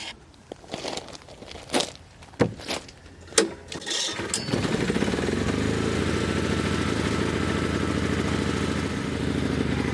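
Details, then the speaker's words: Honda generator started by pull cord with the manual choke out, after sitting unused for three months. Handling clatter and a pull, then it catches and settles into a steady, even hum; starts easily, normal running. "Amazing! Honda engines, you gotta love them."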